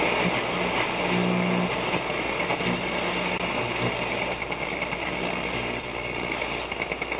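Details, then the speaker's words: Telefunken Atlanta 101 radio on an outdoor antenna, working again after its push-button switches were cleaned, tuned on medium wave 1 (520–1400): steady hiss and crackle with a faint low hum and no station, just band noise. "Okay, medium wave 1, so this is 520 520 to 1400. Okay. Again, we're just hearing mostly noise."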